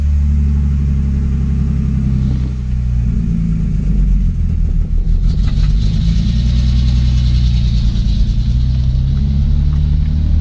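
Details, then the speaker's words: BMW E30 with its ECU refitted, idling. It has a low, uneven rumble with a lumpy, shaking beat that never settles, running very rough and juddering with a misfire-like sound. "Comme ça vous allez pouvoir voir aussi comment un tourne pas très bien quoi. En fait un broute mais un truc de ouf."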